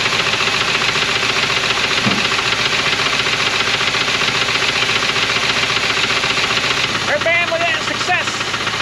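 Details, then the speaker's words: 1980 Dodge 200 truck, sat for years, running on a strapped-on fuel can: rough idle, smoking, with a steady deep knock about three or four per second, a known rod knock. "she's smoking and knocking that's perfect good job"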